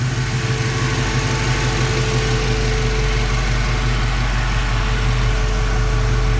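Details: 1965 Mustang V8 among its first runs on a new Holley Sniper EFI and HyperSpark ignition, revved, heard from the exhaust: deep, steady burble, smooth and even with no knocks or misses; healthy running.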